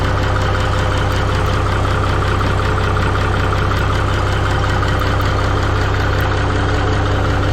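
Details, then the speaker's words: Minneapolis-Moline G950 propane tractor idling, warming up, after manifold gasket repair with RTV and a new-old-stock muffler; smooth regular low thrum about 190 pulses a minute, no ticking or knocking; good oil flow, much quieter, healthy. "pretty good I'm getting good oil flow yep I'm pretty happy with that so mission accomplish tonight definitely much quieter"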